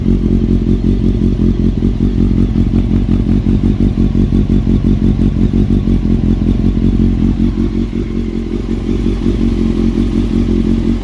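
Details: Honda CBR954 engine idling before a new cam chain is fitted: loose, uneven metallic clatter over the firing beat, a top-end rattle; cam chain suspected, not confirmed.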